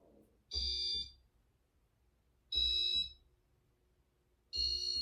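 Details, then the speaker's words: White and brass Casablanca Artisan ceiling fan in demo mode: three short shrill raspy beeps about two seconds apart from a loud control board; owner suspects the beeper is wearing down; fan also has a hum. "this fan this Fan's board is loud it's really loud yeah that's all I got to say it's"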